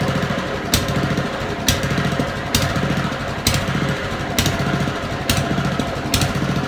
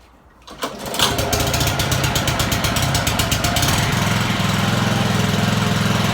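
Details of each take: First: Honda lawn mower at idle before carburettor cleaning. Engine hunts, swelling and sagging about once a second, and cuts out intermittently; surge caused by dirt in the idle jet and float chamber. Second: Honda mower after carburettor cleaning; it had been surging at idle and cutting out because of dirt in the idle jet and float chamber. Normal idle: starts and settles into a steady, even single-cylinder putter with no hunting, and revs nicely.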